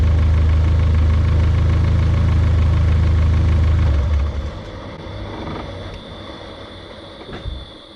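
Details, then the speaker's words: Built engine just switched from 20W-50 to 5W-20 oil idles evenly, then shuts off and the turbo whistle winds down smoothly over a few seconds to a gradual stop instead of the previous abrupt stop; normal spool-down. "this one kind of seemed like you could hear it slowly ramp down and come to a gradual stop rather than such an abrupt stop"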